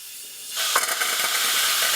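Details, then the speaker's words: CNC machine total-loss way lube system: compressed air purges a lube line through the saddle, sudden sharp hiss with sputtering gurgling bursts as oil and trapped air are blown out, cleaning the line. "so right there you can hear the oil is gurgling and it's cleaning out the lines"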